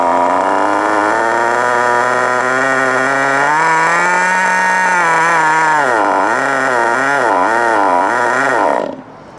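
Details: FTX Carnage NT 1/10 nitro truck with GO .18 engine, warm at operating temperature after break-in: idle screw turned counterclockwise to lower idle, just enough that the high, buzzy engine holds on its own with slightly wandering pitch; normal idle.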